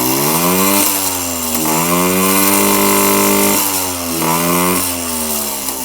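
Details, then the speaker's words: Son's Yamaha PW50 two-stroke after a worn throttle cable was replaced with OEM parts and the idle and pilot screws were adjusted: crisp throttle blips rise sharply and fall cleanly back to a steady idle. Normal throttle response. "want to see if it comes back down to idle which it does and uh she's running pretty good"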